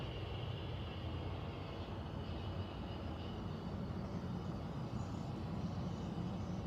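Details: Central air conditioner air handler, apparently above the bedroom closet, making a steady low rumbling air rush with faint high hiss, no rhythm; owner questions a possible leak; abnormal noise, cause not confirmed.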